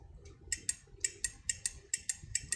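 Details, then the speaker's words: Electrolux iron thermostat, contact opened when the heated metal plate pushes it; lifting the plate by hand gives sharp, crisp clicks in quick pairs, about ten in under three seconds, quiet background: contacts snap open cleanly, normal thermostat click. "So when this is heated up, so it will push inside there, making that contact to disconnect. So if we now it's connected. If I lift this a little bit, it should disconnect immediately."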